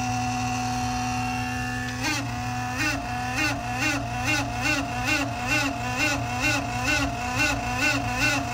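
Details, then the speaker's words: BMW M5/M6/X5M S63TU/S63R, original auxiliary water pump running during coolant top-off before replacement: a steady electric whirr turns into a loud warbling drone pulsing about twice a second. Owner suspected a faulty pump. "Not sure if it's supposed to do that or not, that loud noise. Maybe like a water pump that's faulty."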